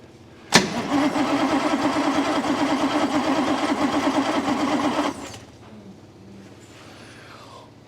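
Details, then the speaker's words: 1962 Rover P4, battery possibly weak: steady starter churning for about four seconds with faint uneven puffs, never catching. It cranks but won't start despite good spark at the points and good plugs and leads. "But it doesn't. I can hear it doing little puffs, little fires, but it doesn't want to go."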